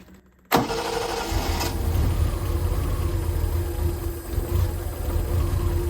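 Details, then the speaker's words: 1972 Triumph TR6 that idled at 200–300 rpm and died on throttle, now fed by an electric fuel pump straight to the carbs: steady cranking for several seconds, no start. Owner suspects a carb float needle is stuck, starving it of fuel. "have the feeling that one of the carbs the needle is stuck on the float and it's just starving"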